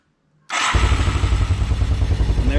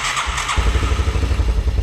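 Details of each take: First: 1984 Yamaha YTM200 that sat for years, after carburetor cleaning, float reinstalled, new fuel lines and fresh fuel: it catches at once and settles into a steady, even single-cylinder putter with no misses. Normal running; it was a plugged carburetor. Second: 1984 Yamaha YTM200 that sat unused for a long time: it cranks, then catches into rough low thumping only on sprayed carb cleaner. Spark and compression are fine; the carburetor is not delivering fuel and needs cleaning.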